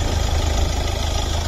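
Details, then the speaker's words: Kia Optima 1.7 CRDi 136 hp Euro 5 diesel with start-stop and dealer-serviced history, engine bay open, Varta battery good: steady, even diesel rumble at idle with smooth low chatter, no knocks or misses; engine runs normally. "Jó az aksi benne, ez egy Varta akkumulátor, a motorja normálisan szépen jár."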